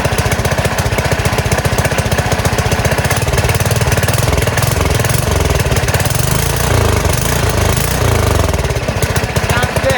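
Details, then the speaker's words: Small single-cylinder gas engine on a go-kart converted from electric, with a new carburetor, first start in a while on choke at idle throttle: fast, steady chugging at about four beats a second, clean. It is running normally. "Okay, sounds really good. Looks like the new carburetor did the trick."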